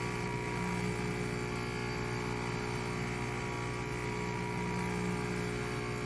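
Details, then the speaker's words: Breville BES990 espresso machine: steady buzzing pump hum runs nonstop without changing while tank water level doesn't drop; pump runs but isn't drawing water, cause not yet found. "We might have a an issue with the pump. I don't see the water is going down. I can hear the pump. Pump is going nonstop."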